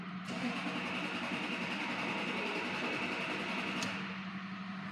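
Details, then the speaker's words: 2006 Lexus SC 430, sat at a body shop; codes for immobilizer ECU and steering lock ECU communication stop; security light flashes with key on: starter churns unevenly and the engine never catches. Crank, no start. "you can see we have a lot of cranking not a lot of starting right here we have our flashing security light with the key on"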